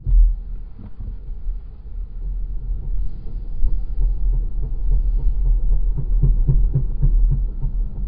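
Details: 2021 Volvo XC40 Recharge while moving: low throbbing rub pulsing about a hundred times a minute under road rumble; rear brakes seize and the pads rub after they release.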